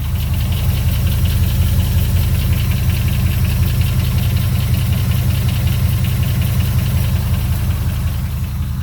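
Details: 2002 Dodge Ram 4.7 with NV3500 5-speed manual, cold start: steady idle with a dull, rapid clatter about three beats a second that stops when warm; cracked manifold and lifters ruled out, cause unknown.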